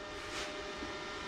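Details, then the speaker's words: Engine-driven welding machine running in the background with a steady mid-pitched drone and no surging or knocking, set up with 7018 rod to tack motor mounting nuts on a band saw rebuild. Welder running normally. "you can hear my trusty welding machine running in the background we got some 7018 low high low High baby"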